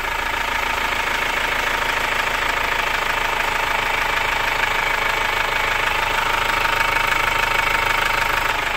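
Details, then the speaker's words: Chevrolet Captiva diesel C140 after full cleaning and injector refitting, idling after start: sharp regular rattling knock about three per second, attributed to faulty injectors number 3 and 4. "Nah itu suara knocking yang kita dengar itu adalah masalah di injektor nomor 3 dan nomor 4"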